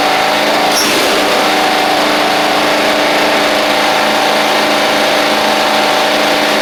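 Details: Toro Proline walk-behind mower, Kohler Command engine, sat unused April to November, first run, blade missing: loud, steady note holding even speed without surging or misfiring, running smoothly.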